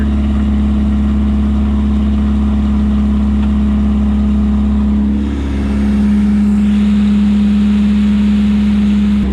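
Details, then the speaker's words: 1972 Opel GT with a Solex carburetor, running after decades in a junkyard, straight-pipe exhaust; very loud, deep steady drone with a hard low hum that holds through a brief blip at idle. "here that exhaust though is crazy straight pipe so loud so loud crazy crazy straight pip the Drone is insane"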